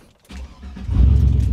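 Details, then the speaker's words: 2001 Chevy Silverado 1500 Z71 4x4, 5.3 Vortec V8, 95,480 miles, fuel pump previously replaced, start before 100,000-mile service: brief crank, then catches cleanly into a strong, even idle, no knocks or misses; good oil pressure, runs well. "Oh yeah, that runs real good."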